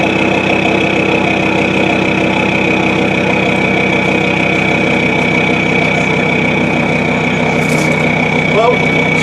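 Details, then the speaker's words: Land Rover Discovery TD5 after fuel pump replacement for low torque (MAP/MAF sensors, injector seals already replaced, boost 18 psi): steady even diesel clatter at idle with strong exhaust note, no knocks or misses; normal idle. "she's running. I don't know if you can hear me over the exhaust noise, but what we'll do is we'll get the bonnet and that shut down, get her in cleaned up, and then we'll take her for a road test, see what happens."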